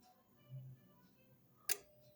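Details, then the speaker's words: Brastemp BRM refrigerator not cooling: the compressor hums briefly but cannot start, then a relay clicks. Windings test OK with no short to the casing, but the compressor is locked. "Compressor não consegue rodar. Já testei o bobinado dele. Tá OK. Não tá fazendo curto com a com a carcaça dele, então não tem fuga de corrente, mas ele tá trancado."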